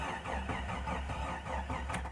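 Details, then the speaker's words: 1993 Jeep Cherokee 4.0 high output, sat 15 years, refuelled and cranked from a jump pack drained by earlier cranking: slow, labored cranking, roughly three turns a second and dragging; starter starved by the weak jump pack. "come on baby oh man that's slow my jump Pack's dead from trying to crank the other"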